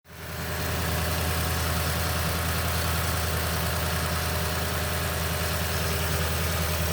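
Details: 2010 Toyota Tundra V8, 165k miles, 5,500-mile oil changes: cold start idle with a deep steady drone and a busy metallic clatter on top; suspected timing chain noise, unconfirmed.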